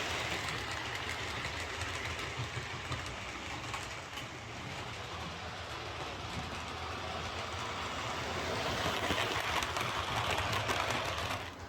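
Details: Bachmann Webb Coal Tank 0-6-2 model locomotive pulling coaches after repair of dislodged rear axles, bent pickups and a filed deformed wheel flange: light even clickety-clack nearly three a second, no clunks or binding. Runs smoothly.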